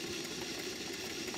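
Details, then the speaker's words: Stuart 5A model steam engine running on steam, outdoors, after completion: soft, even chuffing under steady steam hiss, no knocks or hesitation at all speeds. Normal running. "you can hear that the engine runs very sweetly at all speeds when it's running on Steam"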